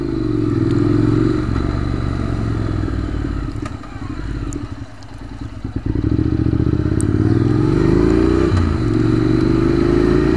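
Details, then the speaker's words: Motorcycle with diesel accidentally added to its petrol, accelerating: heavy lumpy clattering drone, revs climbing slowly, running horribly. Rider suspects unburnt diesel is firing in the exhaust; plans to keep topping up with petrol to dilute it. "oh God it's running like horribly wrong and it's taking ages to accelerate look"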